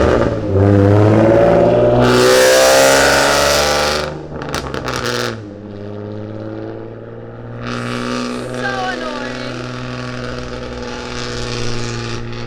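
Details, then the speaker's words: V6 Mustang with the catalytic converters removed, running a full straight-pipe exhaust, driven briefly on a road: very loud, harsh, trumpet-like rasp that climbs in pitch as it revs. Raspy exhaust from the catalytic converter delete. "I'm just gonna drive on this road right here, kind of really short, but let's just hear how crazy this exhaust sounds. It's like stupid loud."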